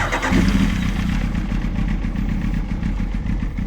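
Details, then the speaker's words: 1998 Kawasaki ZX9R first start after rebuild, cold, no choke: catches and runs low and lumpy, labouring and stumbling without picking up revs; choke cable too short, new extended cable to be fitted. "Bit laboring. Bit of choke. So, I'll put a new choke cable on it."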